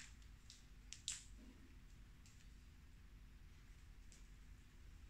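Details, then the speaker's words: Used NAD C320 amplifier: faint steady low hum under a quiet room with one stray click, left output channel humming while right is silent; balance pot crackles, cause not yet traced. "dia ini ada suara ee dengung sebelah kiri sini sebelah kiri ada"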